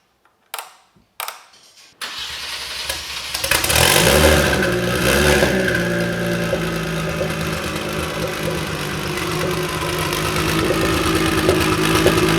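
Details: DeLorean with a swapped Kia twin-turbo V6, early run on break-in oil, coolant topped up: a couple of short cranks, then it catches, flares up and settles into a fairly even, steady idle. Normal idle.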